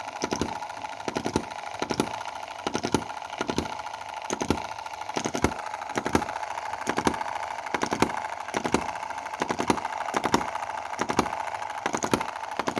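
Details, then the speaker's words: Chinese M19/EM2 model hit-and-miss gasoline engine, carburetor mixture being adjusted, lean setting lacking power; sharp pops about twice a second with uneven dropped beats; misfiring, spark plug fouling noted. "i mean it's running really rich so that's lean just doesn't have a lot of power and you can hear those... kind of - misfires"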